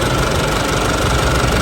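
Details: Isuzu D-Max 4JK1 diesel after repair for shaking, power loss and black smoke (clogged injectors fixed, oil and coolant serviced): steady idle with usual light injector clatter, no stumble or shake; normal healthy diesel idle.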